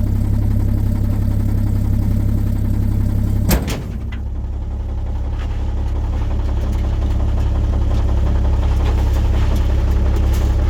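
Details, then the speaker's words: 1950 Chevrolet 3800 one-ton truck engine, abandoned since 1977; rods were likely filed or ground down to stretch its life. Steady low idle with a regular deep knock about three times a second under the engine note. Rod knock. "so they probably took an angle grinder to the rods and just anything they could to get every last little bit of life out of that engine and now we know why it was parked is"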